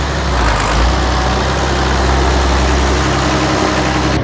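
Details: Massey Ferguson 1105 tractor with turbo Perkins diesel, abandoned project just started: steady even diesel idle with smooth low drone, no knocks or misses; healthy normal idle.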